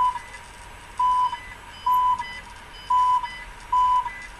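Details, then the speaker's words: Car cabin on highway in Ishim area en route to Novosibirsk: five short high beeps about one per second over faint road hum; radar detector alert for fixed speed camera, navigator also warning speed at limit. "сразу два зога radar detector предупреждает и навигатор"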